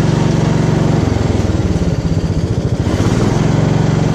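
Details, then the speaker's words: Gravely 432 after stator plug repair with soldered Packard 56 connectors, in neutral, choke on, battery pack attached: small engine chugs steadily, dips briefly under load and recovers; charging now works at 14.1-14.7 volts, normal running. "Oh, look at that. It's charging. Got 14.1 volts, 14.2, 14.6, 14.7. Yeah. It's working. That's awesome."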